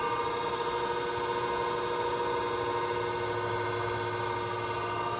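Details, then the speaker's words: Okamoto ACC-12.24DX horizontal spindle surface grinder, grinding wheel spindle running alone before hydraulics: smooth steady hum, clean even tones, no knocking or scraping; healthy spindle. "So, uh, yeah, grinding wheel on. Let's do that. What it sounds like. And yeah, that helps. There we go. Let's try that again. Okay, sounds nice."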